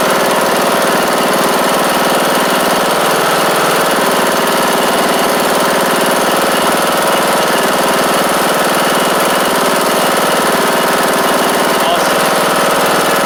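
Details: John Deere D110 riding mower with a newly installed replacement engine, oil checked and fuel pump reconnected, first start-up: small engine runs at a steady, even speed with no knock or misfire; sounds healthy.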